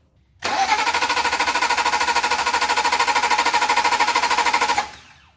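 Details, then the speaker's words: Hurricane flood-salvage BMW Z3 M Coupe, S54 engine, on jump box: brisk even cranking about three compressions a second, no catch, tachometer not moving; crank no start from no crankshaft sensor pulse, connector corroded. "That's some healthy cranking, but no spark or no fuel."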